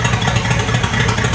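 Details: 1959 Cadillac Eldorado Seville V8 with three two-barrel carbs, first start after long sitting, primed with gas down the carb: lumpy, uneven running with unsteady beats; rough running that later smoothed out.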